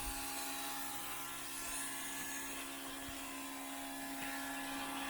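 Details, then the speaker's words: Fuel pump priming a 2002 6.0L drive-by-cable LS V8, fuel heard going through the crossover tube while checking for leaks, none seen: thin, steady electric whine holding one pitch; priming normally. "So here we go. I can hear the fuel going through the crossover tube. Don't see any."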